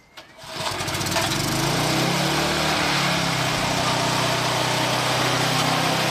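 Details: Old Briggs & Stratton mower after carburetor float/spring fix and air filter refitted; catches quickly and settles into a steady, even high-speed drone with no hunting or surging; running healthy, no longer failing to rev up.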